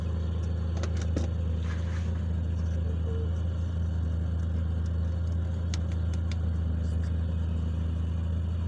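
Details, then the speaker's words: DX car on LPG with a Wingas regulator, after drilling a side vent hole in the regulator: smooth, even idle with a constant low hum, no hunting or surging. "Jadi meskipun dia tuh kesenggol, jadi tidak ada perubahan."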